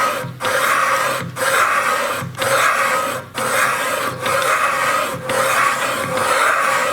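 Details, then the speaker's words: Cutting an intake valve seat on a cylinder head cooled to room temperature, using a seat-cutting machine, with the cutter set to about 4-5 hundredths of a millimetre. The cut sounds like an even rasp with a short lull about once a second. The seat is cutting cleanly. "Ну, слышно, что уже прирезка идет отличная. Так, и прирезал я всего лишь, пустил на 4 сотки."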